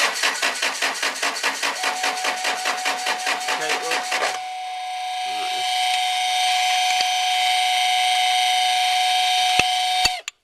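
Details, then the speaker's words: Land Rover 2.2 diesel (Freelander 2) after a fuel filter change: the starter turns the engine over in steady chugs, about two and a half per second, but it never catches. Crank no start from air in the diesel fuel system, being bled. "now again I don't know whether you need to bleed it or this question of how long you're prepared to crank your start motor over for I guess"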